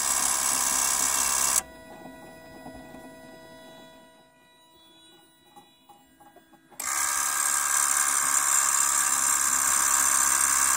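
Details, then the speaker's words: 2008 Toyota Prius in park, after brake bleeding, brake pedal released: high, fast buzzing brake accumulator pump runs, stops about five seconds, restarts repeatedly, with a high-pitched chirping after it; cause suspected, not confirmed. "alright I'm gonna give up holding the brake pedal down now it's in park and the accumulator is running on and off there's also an interesting like high-pitched chirping noise"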